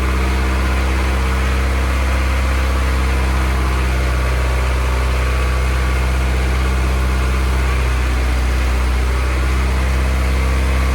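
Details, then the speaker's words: Honda F24 engine, first start of the newly installed motor before tuning, warming up to burp the coolant: a smooth, steady low hum with an even beat and no knocks or ticks. Normal idle. "oh she's running guys worked out but everything sounds good no leaks motor sounds great super responsive"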